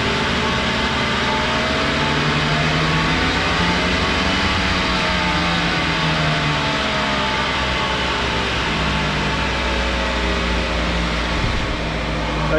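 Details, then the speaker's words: 2013 Subaru all-wheel-drive car with cheap aftermarket hub bearings that lasted about two years: steady loud droning hum over the engine without clicking, also heard inside while driving; diagnosed as failed wheel hub bearing, all four replaced. "it's not clicking so it's a loud hum I'm going to show you guys right now"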